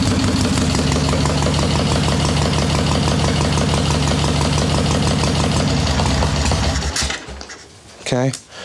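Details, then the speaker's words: Cold Harley Ironhead Sportster chopper, carb re-jetted leaner: V-twin chugs unevenly at slow idle with irregular pops before dying; needs more choke, fires on a throttle blip, owner suspects too much fuel from choke circuit; unconfirmed. "needs a little more choke than that but right there popping all I did was blip the throttle just a sliver not less than an eighth throttle and it fires so in my head it's still telling me it's getting too much fuel from that choke circuit"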